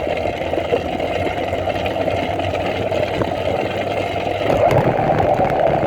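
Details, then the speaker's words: New 80cc two-stroke motorized bicycle engine, third start during break-in, 24:1 oil-gas mix and 91 octane; starts easily and settles into a busy, even putter with no knocks or misses, healthy. "this one starts nice and easy and I'm going to display that right now"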